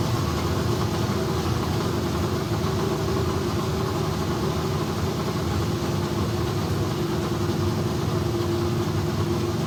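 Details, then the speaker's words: Kyle Petty Pontiac race car V8 running in shop after electrical fix and carburetor bowl priming: deep, steady, even rumble with no misses or knocks; runs healthy though voltage drop while cranking remains, rewire planned. "well it's always a good sign when you got smoke inside your shop that means something is running"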